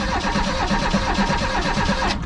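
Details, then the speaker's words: 1988 Reliant Rialto, no interior: steady fast cranking with even compression beats but no firing; spark present, so a fuel problem is suspected. "just cranking so that's good okay can I smell fuel it's cranking so that's good"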